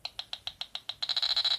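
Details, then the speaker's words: Pirat metal detector on battery at minimal settings: even high ticks about seven per second, then faster louder chirps as a ring nears the coil; normal target response. "когда вот колечком беру сам реагирует на колечко"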